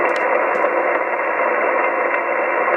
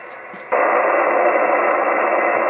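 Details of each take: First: Plastic-cased, unshielded switch-mode battery charger plugged in near a radio on 2 m AM and SSB: loud steady hiss with faint regular pulses from the charger pulsing the battery; RF interference. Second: Radio receiver with A&H 12 V 4 A switch-mode pulse repair charger on sealed lead-acid battery unplugged; plain even hiss with no pulsing or buzz, only normal background noise once the interference source is off.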